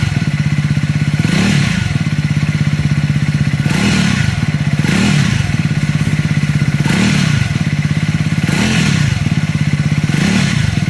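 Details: Triumph Scrambler 400X / Speed 400, recall noted: thumping single with a rapid metallic clatter over it and small rev swells every second or so; abnormal engine clatter.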